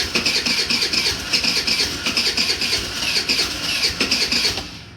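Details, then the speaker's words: Old GY6 scooter with a freshly installed battery catches on the key and settles into a quick, even putter with no misses or knocks, then shuts off. A normal, healthy idle. "seems to be crank and that's the first time it's ever done that with the key"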